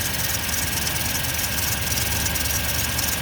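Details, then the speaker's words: 2000 Toyota Tundra 4.7 V8 automatic idling with uneven, lumpy beat; scanner shows misfire on cylinders 6 and 8, flashing check engine light, shaking worse when driving; coil wires crossed after engine swap and coil connector broken. "cuando se conecta y vive al escanear y me marca Que está fallando el cilindro 6 y 8"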